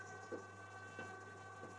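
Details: Appliance compressor after repair, auto transformer earlier too weak when compressor kicked in: quiet, steady low hum without dropouts, faint clicks over it; compressor running normally, fixed.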